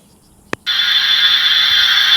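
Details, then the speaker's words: Loud steady high hiss after a click, heard through a leak detector on an under-slab water supply line; pressurised water escaping, louder at this spot, pinpointing the slab leak to this line. "And you can hear a little bit of water moving through it, which we know there's a leak under here somewhere."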